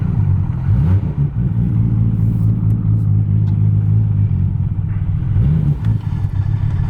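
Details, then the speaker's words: Car starting before a full remote tune. Deep, steady exhaust rumble with a couple of clean throttle blips; catches and holds without misses or knocks. Oil pressure good; sounds healthy. "she's alive oil pressure good sounds healthy"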